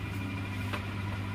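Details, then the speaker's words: Vediam wet grinder after bearing change: steady low hum at an even pitch, no rumble or scraping, motor turning freely; bearing healthy, normal motor run. "பார்த்தீங்க அப்படின்னா நமக்கு சீரீஸ்லேயே move ஆகுது. தெரியுங்களா? சீரீஸ்லேயே நமக்கு motor move ஆகுது. அந்த அளவுக்கு நமக்கு பேரிங் ஃப்ரீயாக இருக்குது."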